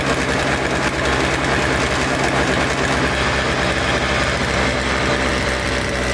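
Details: Toro Snow Commander two-stroke snow thrower with fresh fuel, choked and primed: loud, steady buzzing at even speed, no stumbling; runs normally, later stalls when ignition switch is wiggled, carburetor may still need cleaning.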